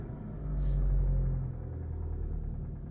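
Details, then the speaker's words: Engine at 210,392 miles with a head gasket leak, cold start after two Bar's Leaks stop leak tablets: catches, flares briefly, drops to a smooth, even low idle; owner notes a lifter ticking expected to fade when warm. "oh that engine's smooth you can probably hear the lifter out there ticking"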